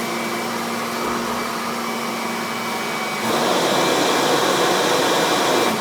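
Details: Kirby vacuum (148 CFM) in a flour pickup demo: steady high-pitched motor whine with a strong, even rush of air rising slightly under load; Kirby gets most of the flour; healthy, powerful vacuum.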